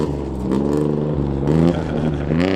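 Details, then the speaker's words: 1965 VW Beetle on a California-to-Oregon drive, after an install: smooth, even rise and fall of revs with a clean exhaust note and no knocks or misses; the engine sounds good. "That sounds so good. It does. It sounds so good."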